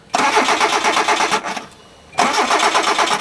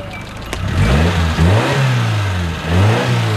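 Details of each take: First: Automatic Hyundai at night after swapping the throttle position sensor and refitting the air hose. The starter turns the engine over in steady quick chugs, about three a second, over two tries, and it never catches; cranks but won't start. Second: Owner's other Hyundai fitted with the problem car's throttle position sensor. It catches promptly and revs up and down twice smoothly with no stumble or knock; it runs perfectly, ruling out the sensor.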